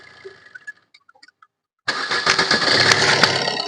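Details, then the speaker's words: Maruti Suzuki Ritz diesel that creaks on starting, started with the drive belt removed: quiet ticks, then the engine fires and settles to an even run with no creak, so the noise comes from the belt-driven parts. Normal engine start. "ഇപ്പോൾ ആ sound നമ്മൾ കേൾക്കുന്നില്ല ഇപ്പോൾ നമ്മൾ start ചെയ്ത സമയത്ത് ആ ഒരു സൗണ്ട് കേട്ടില്ല"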